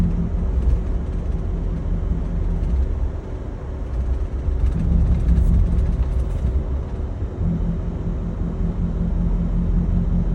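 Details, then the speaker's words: 2022 Chevy Tahoe with CORSA exhaust, city driving on a slight decline under light load: low V8 exhaust rumble swells then quietens and deepens repeatedly; owner suspects cylinder deactivation. "So you guys just heard it just now, where you could hear the engine, like the exhaust rumble a little bit and then get quiet, rumble a little bit, get quiet. Now we were at a very slight decline right there, and so the engine really wasn't working that hard."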